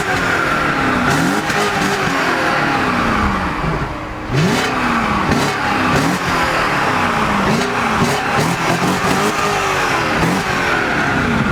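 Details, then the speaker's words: BMW E38 740i with a 4.4 litre M62 B44 facelift V8 (282 hp), warm after about 20 minutes of driving, completely stock exhaust. Deep, smooth V8 blips, even and clean with muted exhaust: normal revving, healthy. "So this is the 4.4 litre V8. It sounds cool. We have just been driving this around the car park for about 20 minutes, so it is warm."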